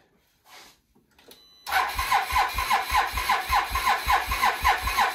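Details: Can-Am Renegade ATV, second attempt with a different charged battery after the first one was flat: short crank, engine catches at once and settles into an even pulsing idle about two beats a second; normal start and idle.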